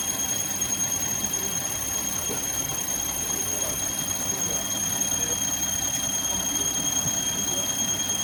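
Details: Car engine with a steady, piercing high squeal over a quiet idle. The water pump, belt and idler bearing are noisy even when turned by hand and are being replaced; suspected, not fully confirmed.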